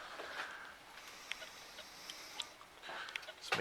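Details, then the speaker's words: Levoit LV600HH hybrid ultrasonic humidifier after repair, calcium-coated fan bearing oiled with sewing machine oil: soft, even mist hiss with the earlier loud fan racket gone, only a few faint clicks. "oh my that really helped a lot steam slate just blowing out and I can't even hear that more blowing wow"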